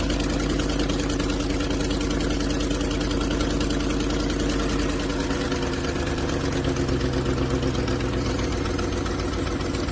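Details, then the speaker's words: 2010 Ford F150 5.4 V8 at a cold start and idle: fast, steady ticking puff riding over the exhaust note from a cracked exhaust manifold, visibly cracked on top and possibly underneath. The noise mostly goes away after about 5 minutes of warm-up. The manifold needs replacing. "So let me fire this up so you can hear what it sounds like to begin with when it's cold."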